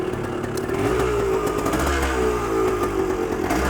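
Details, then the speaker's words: Yamaha RT180 two-stroke after carb slide adjustment and new spark plug: crisp buzz revving freely and evenly with no misfire or stumble; running cleanly. "Sounds like it's running great."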